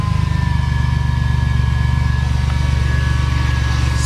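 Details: Chevy Astro just after a throttle body replacement; check engine light cleared. Engine settles into a steady, even low idle with no stumble or misfire; running cleanly.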